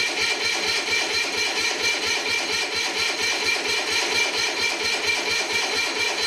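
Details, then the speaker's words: Onan diesel generator, sitting unused 20-some years, start with no warmth felt on a doubtful battery: heavy, laboured cranking about two beats a second, banging each stroke, won't catch; owner thinks it is pulling the battery down. Cranked better on a charger. "all that banging is just really apparently it's drawing the battery down so hard"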